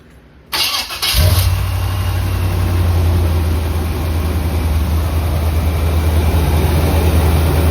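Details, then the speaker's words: 1976 Corvette V8 with electric fuel pump, old distributor with some new parts and new plugs, sometimes needs a little gas to start: fast, slightly lumpy idle with deep steady rumble; owner suspects idle set a bit high. "Sometimes it takes a little bit of gas to get it going, but sounds a little rough."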